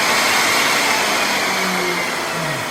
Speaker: When you do torque down the speed, it ramps up. So it'll start at the highest speed, and then you can hear it go down.